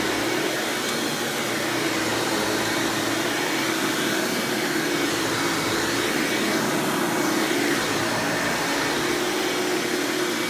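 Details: 1997 Hoover Dirt Finder Power Drive self-propelled upright vacuum, model U6331-930 (Elite style): steady, even airy whir with constant motor tone, no rattles or belt slap; runs exceptionally smooth and fairly quiet; normal running.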